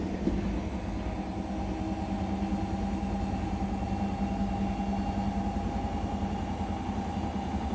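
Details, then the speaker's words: Indesit BWE101683 washing machine on a spin-and-drain after a 1000 rpm push-and-wash cycle: steady low hum with irregular thumps about three a second as the cabinet begins to shake and chatter. The spin is unbalanced, which the owner attributes to the uneven floor. "oh no the washing machine's beginning to shake look at this oh it's getting very unbalanced now washing machines chattering away gone"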